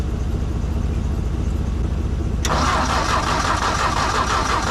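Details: Old tractor that broke down on the trail: low uneven turning-over rumble then harsher cranking that never catches after draining yellow fuel and reconnecting it; fuel is reaching the carb, spark is the next check.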